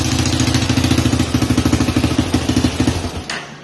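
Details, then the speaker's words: Rebuilt Honda 300EX single cylinder idling, then shutting off: a sharp puff on every firing pulse, about three a second, sounding like a tick or exhaust pop. The leak is at the exhaust donut gasket, which was bent and left leaking. "Kind of sounded like a tick, more like an exhaust kind of pop."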